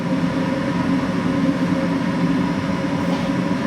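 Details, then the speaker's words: Gas furnace that was cycling on and off, after cleaning the flame sensor with sandpaper: steady low roar of burning gas holds without dropping out or surging; flame stays lit, normal burner operation, repair successful. "Now it's time to turn on the furnace. You hear that? That's the flame."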